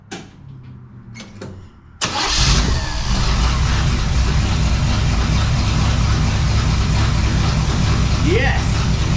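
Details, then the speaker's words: 1935 Oldsmobile hot rod, first start after sitting many years and a full rewire: fires straight up and settles into a loud, steady, even idle through a raw open exhaust; engine runs healthy. "yes okay so it fired right up so we have a running engine"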